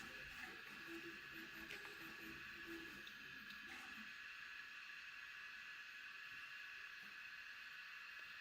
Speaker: and it's nice and quiet too I mean can you really hear it is making some cool little stepper motor noises but um for the most part it's not really making any noise at all